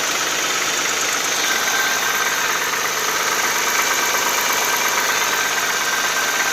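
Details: Audi A6 C4 2.6 V6 (ABC engine) at cold idle with a dull rhythmic knock near three beats a second over a steady hum. An oil change made no change, and the cause is unknown.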